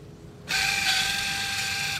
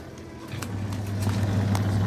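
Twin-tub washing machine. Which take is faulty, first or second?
first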